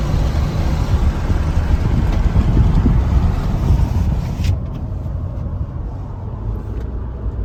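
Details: LU3 engine stumbles unevenly, with an irregular puff roughly two to three times a second in the exhaust rhythm; engine misfire.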